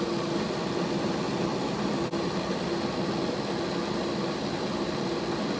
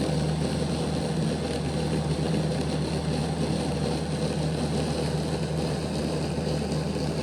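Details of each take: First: Bachmann Dash 9 model locomotive at speed step 8 after the motors were reseated for good contact with their contact strips: steady, even whirr with a faint hum, no catching or rattle; runs clean after repair. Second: Bachmann Dash 9 model locomotive, rear motor block: steady low hum with a coarse growl, more growling than the front block; the cocked motor makes poor contact with its pickup strips, fixed by reseating the motors against the strips.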